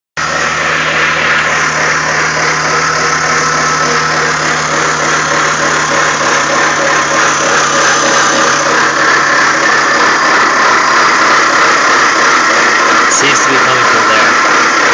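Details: BMW E46 at idle with recently replaced pulleys and belt: rough gritty grinding over steady rhythmic chatter from engine bay, varies with rpm, gone above 4000 rpm; owner suspects alternator bearing.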